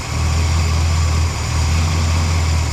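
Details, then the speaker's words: Rebuilt 460 V8 in a 1975 Lincoln Continental, a few hundred miles since rebuild, idling after a misfire traced to cylinder 7 was fixed: deep, steady, even rumble with a brief dip, no miss, no valvetrain noise; normal idle. "Awesome, we fixed our issue. And there was 0 valve train noise."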